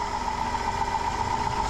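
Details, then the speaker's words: 2005 Dodge Grand Caravan 3.3L running with main alternator cable removed: steady high whine about 1000 Hz over a rough idle; battery terminal arced heavily, alternator diode pack suspected shorted. "I need an alternator running and if you can hear that this is a wee bit noisy"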